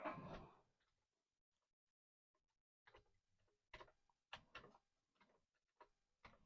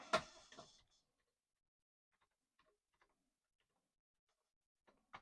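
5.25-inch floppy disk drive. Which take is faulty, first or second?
second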